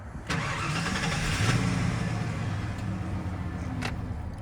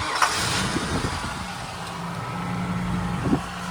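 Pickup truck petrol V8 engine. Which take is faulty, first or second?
second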